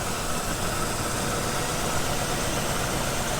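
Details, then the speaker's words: 1962 Chevrolet Impala 327 V8, 4-speed manual, first start in 15+ years, aftermarket carb, throttle return spring just fitted: even, steady idle with a smooth low rumble and airy hiss, no knocks or misses; runs great. "crank it damn this thing runs good she is mint hold on runs awesome"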